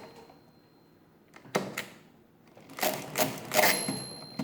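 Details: Mid-1920s Marchant XLA lever-set hand-crank mechanical calculator after repair, with the ratchet forcing each cycle to complete: irregular bursts of crisp clattering and ratcheting as the crank cycles, with no binding or grinding. Working normally.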